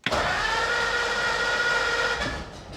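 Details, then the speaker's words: 1947 Monarch after conversion from 6-volt positive ground to 12-volt negative ground, sat a week and possibly cold-blooded: a steady churning run with a faint whine for two seconds, then fades; normal start. "Hopefully this thing starts. It's been sitting for a week. Might be a little cold-blooded."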